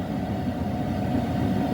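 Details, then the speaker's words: HCalory 8KW diesel air heater warming up, unit at about 183 degrees and climbing: steady soft blower whoosh, no fuel pump ticking audible; normal warm-up. "So it's just going to keep heating up, and you can, right now you can hear the fan, but you cannot hear the little ticky of the fuel pump, which that's really nice."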